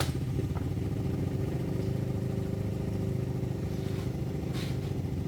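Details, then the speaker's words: Engine after timing and tensioner work: low steady idle with even beat, no rattle or helicopter-like whirring clatter that was there before; engine now quiet and normal. "Tahimik na. Wala na yung parang helicopter."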